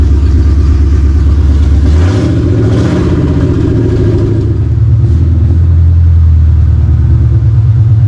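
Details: 4.6 V8, run on long-tube headers with no exhaust: loud deep rumble, sharp rev blip, then settles to a steady even idle; sounds nice, normal running.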